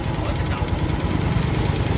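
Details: Honda Future 125 motorcycle after cam chain tensioner replacement and new oil pump: steady engine with a fast, even knocking tap at constant speed, source unclear; knocking noise.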